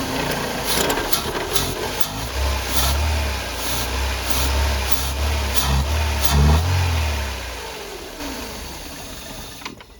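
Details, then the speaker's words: 1993 Mercedes 190, cold: a low lumpy idle with uneven pulses, struggling to hold and falling when the air meter is cracked. Rough cold idle; idles fine warm. Owner suspects fuel filter, accumulator, bad fuel, pressure regulator, potentiometer or idle air control. "again super low idle and when I try and crack the air meter here it just wants to fall in his face"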